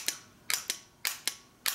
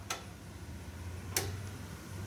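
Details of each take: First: Original Ford F-150 fender-mounted starter solenoid on the bench, signal wire touched with the back plate grounded: crisp paired clicks, about three engagements in two seconds; working at the moment but weak and starting to go bad. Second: Ford F150 won't crank, testing the fender-mounted starter solenoid with a test light in the connector; two crisp single clicks about 1.2 seconds apart over faint hum as the relay pulls in each time the key turns to start.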